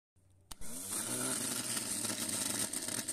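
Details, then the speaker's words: Starter motor removed from the car and bench-tested on 12 volts: sharp click, then a steady high whir that spins up and holds evenly without grinding; normal starter operation. "una vez afuera aprobamos la marcha para ver su funcionamiento"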